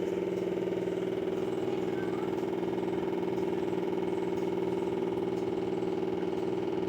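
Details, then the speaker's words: Whirlpool split AC indoor unit running: steady fan hum with a fast even rattle, about four per second. "Whirlpool company का indoor unit है और यह आवाज कर रहा है दोस्तों"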